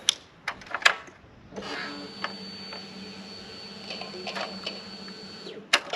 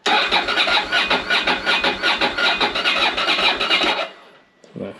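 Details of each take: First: Ducati Monster 600 at key-on: a steady electric buzz for about four seconds, then it stops cleanly, which is a normal fuel pump prime. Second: Ducati Monster 600 with little fuel in the tank and no fuel pump prime sound at key-on: steady starter cranking about two and a half compressions a second for four seconds, never catching; apparently no fuel getting through, cranks but won't start.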